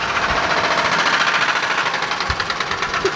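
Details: Worn ATV engine with a five-speed custom transmission, new battery fitted, started at idle: fast, irregular knocking about three to four hits per second. Bad engine knock; cause unconfirmed.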